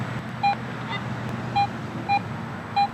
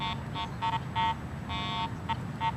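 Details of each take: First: Garrett AT Pro metal detector after automatic ground balance, with the coil passed over a target chip. It gives a clean mid-pitch beep about once a second with no ground chatter and shows an 8-inch depth. Clean target response. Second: Garrett AT Pro metal detector ground balanced for neutral soil, swept over a highly mineralized dirt pit: short mid-pitched beeps keep chirping with no target, ground noise from improper ground balance.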